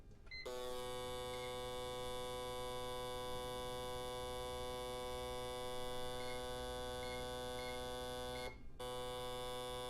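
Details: Autool CT-200 fuel injector cleaner/tester running test 10, the 10-second high-speed spray test run three times at constant pressure; steady, even electrical buzz holding one tone and stopping cleanly, injectors firing evenly; flows close, about 49–50 ml.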